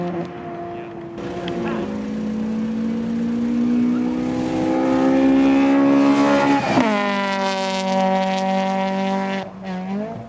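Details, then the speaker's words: 1988 Honda CRX Si with B16A engine on track, car screaming past under load in a flyby with the engine note stumbling and sputtering, an ignition misfire from the distributor rotor coming loose. "Chris was having an ignition rotor come loose on his distributor. That's why you hear the sputtering."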